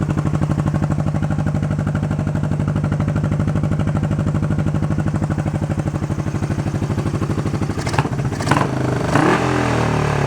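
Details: Honda CB350 twin during carb work: idle adjustment screws had been run in too far and were backed out. Even, steady thump at idle, then a clean, crisp rev blip; now running smooth and healthy.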